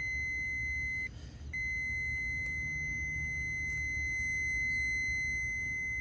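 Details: Continuity beep from a relay on the main control board of a GE front-loading washer (GFW650SSN0WW) that shuts off mid-cycle with a blank display; steady high tone, briefly broken then resuming, over room hum; relay contacts closed and making contact.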